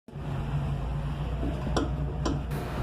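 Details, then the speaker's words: 2011 VW Gol G5 driving: two sharp knocks from the front suspension over steady low road rumble, caused by a worn sway bar link. "esse barulho de fundo aí é preocupante em como dar uma olhada comigo agora"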